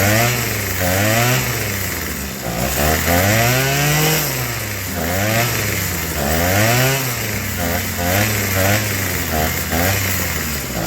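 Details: Troy-Bilt TB2044XP JumpStart two-cycle trimmer, before service, likely never serviced: speed surges and sags every second or two, won't hold idle; dirty carburetor, later serviced with carb cleaning and new fuel lines.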